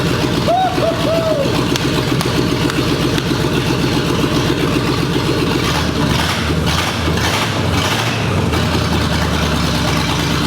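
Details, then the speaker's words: 1965 Mustang with GT40 engine and rebuilt original Toploader transmission, first start after build: loud steady V8 burble, no misfires or knocks; normal idle, starts first try. "guys that is so that is fantastic the car is running great"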